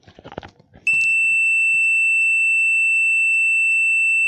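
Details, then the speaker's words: Digital multimeter on continuity mode across a jumper wire, mic placed near the meter: after handling clicks, a steady high beep holds about 3.5 seconds, meaning the wire is intact and not broken. "ये देखिए इसका मतलब इसका मतलब हमारा wire जो है वो एकदम ठीक है। अगर ये वायर कहीं कट होता तो ये बीप नहीं बचता।"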